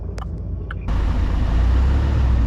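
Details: Car pulling away after a few clicks into a steady low roar under road noise; a worn wheel bearing is suspected, not confirmed.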